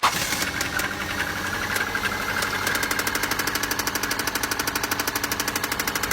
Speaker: hear that tick, tick, tick sound, don't be fooled, it's not a clock. It's your engine begging for oil.